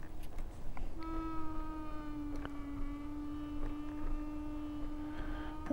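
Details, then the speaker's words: Nami Klima electric scooter on a bumpy ride: faint steady mid-pitched whine under ride noise, drifting lower as the scooter slows; normal regenerative braking, which some riders find too strong on the Klima. "If you can, that's regen brakes. Some people say the regen brakes on the Klima are too strong."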